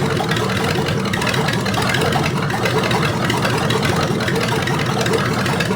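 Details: Rebuilt '73 Canadian truck 350 Chevy V8 (new piston and rod, big cam, fuelie heads), no fan, warming up: steady even idle, no misses while distributor is turned; ignition timing way off, being reset to correct idle.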